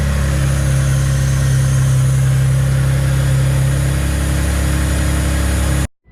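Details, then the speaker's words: Mitsubishi 3000GT VR-4 after installing an AEM fuel pressure regulator, gauge and new fuel pump: loud idle with uneven, stumbling misfire, fuel pressure where it should be but air still leaking somewhere, a vacuum leak. "ron's is some problem sounds like it's misfiring dono Coates feel pressure it and where it should be yeah I mean good thing is no fuel again but air still leaking from somewhere"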